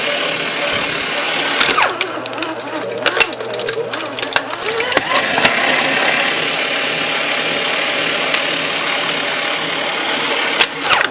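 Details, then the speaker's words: Aurora AS890C paper shredder with its safety features removed, shredding floppy disks; described as very worn out: rough rattly grind with sharp crunches as material feeds through; harsh grinding while shredding. "you'll see how it does it sounds like came from the bowels of hell because so worn out"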